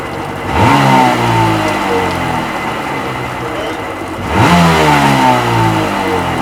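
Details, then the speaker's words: Sea-Doo XP 720 two-stroke, just rebuilt, driveway run on flush hose with pump/driveline disconnected; after two quick throttle blips it settles into a steady, even idle with no knocks or rattles, purring along: normal idle. "But she's just idling, purring along, man"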